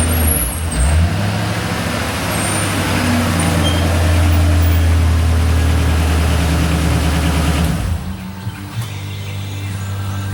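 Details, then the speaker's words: 2008 Ford Mustang GT V8: deep idle with an uneven, stumbling pulse in the exhaust beat, then settling lower; a cylinder misfire, most noticeable at higher rpm, being traced by swapping ignition coil packs. "some of you guys that are mechanics you can probably hear when I read the engine that it has a misfire it's really noticeable at higher rpms"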